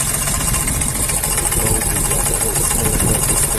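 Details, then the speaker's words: Hyundai i10 diesel with white smoke, misfire and heavy oil consumption: uneven, lumpy idle with irregular knocks and a gusty chuff throughout, showing very high blow-by (back compression); timing marks being checked. "Hello friends ये है i10 diesel इसका problem है और oil बहुत खींच रही है तो इसमें बैक कंप्रेशन बहुत ही ज्यादा है जैसे की हम देख सकते हैं"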